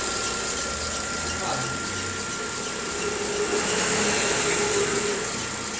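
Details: 2013/14 VW Gol G6, noise mainly at morning cold start; thin steady high squeal over the idling engine without changing pitch, first blamed on the alternator belt but the fault was the timing belt, replaced under warranty.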